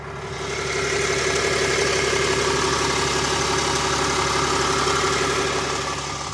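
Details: 2022 RAM 3500 idling after two hours of driving, so the engine is warm: a fairly regular ticking clatter of about four per second over a rough hum. The owner is unsure whether this is normal.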